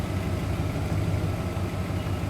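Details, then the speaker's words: 2001 Dodge Dakota 4.7L, engine started stone cold and warming after IAC (idle air control) cleaning; idle drops from about 800 rpm toward its usual lower speed, a steady even low rumble with no misses or knocks. Normal warm idle. "see now it's see yeah now it's trying dropping down to where i'm more accustomed to it working at which is about about there"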